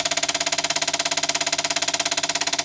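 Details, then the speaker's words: Toshiba Diomage SV-771 VCR, made around 1991, stored unused about fifteen years, just powered on: fast even clicking about twelve ticks a second over bright hiss as something inside skips; owner hopes cleaning and lubrication will fix it. "And just as something is just skipping back here, it's not working."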